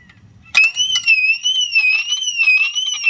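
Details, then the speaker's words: 2006 Mercedes-Benz W211 E350 4matic during alarm siren replacement: loud, high warbling wail rising and falling about once a second as the siren runs on its internal backup battery, also setting off the fog lights in panic mode. "this is actually as an internal battery and that's why it's doing that well it's also setting the fog lights off so the car has just gone into panic mode"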